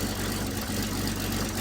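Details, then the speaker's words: 1929 Buick Standard Six, which had been backfiring and running sluggishly, owner suspects a clogged muffler; a leaking exhaust manifold gasket. Low, slightly uneven idle with soft puffing at each firing; exhaust blowback from a blocked pipe, less than before. "Uh and it's still up and up and closed and open. So, something is wrong up here. Are we still getting blowback? There's not as much blowback now."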